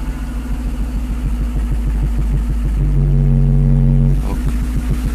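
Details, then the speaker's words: Mercedes with repaired fuel distributor (3 of 8 cylinders had no fuel, glue removed, diaphragm replaced) after richening the mixture: steady low pulses with a brief rev, then settles; runs really nice, normal running. "all right that's how it runs runs really nice actually"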